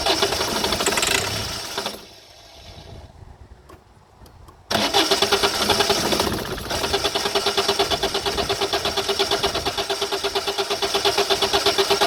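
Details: 2008 Citroën Nemo van, no-start: starter cranks at steady beat for seconds without catching; mechanic suspects no fuel coming through, possibly blocked fuel filter; not confirmed.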